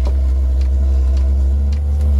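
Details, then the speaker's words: Chinese diesel air heater installed in an Eagle bus conversion, flame lit: loud deep steady growl from the combustion air intake hose; intake muffler not yet fitted, growl resolved by installing it. "he's now that hose is growling where's that coming from is it from hit itself i don't know where that's coming from well that's heating up is it did we screw in both sides oh that's my intake"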